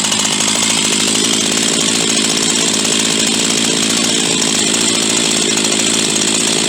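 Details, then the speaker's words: Huztl G366 (Stihl MS361 clone) chainsaw, warmed up, screaming steadily at high buzzy pitch with no load; dies coming out of cut, won't idle when hot, keeps leaning out; lean running from plugged fuel tank vent. "she keep leaning herself out got an issue with the fuel vent clearly an error issue"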